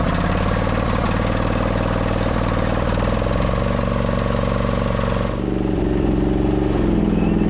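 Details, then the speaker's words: 2008 Husqvarna YTH2242 with a Briggs V-twin, before repair, belt tension loosened, needing full choke to start: an uneven, lumpy, loping idle that is down on power. It is running on one cylinder because of a bent push rod. "It's not sure how it wants to run. It's really down on power. Transmission feels pretty good. But yeah, you could tell engine is not running right."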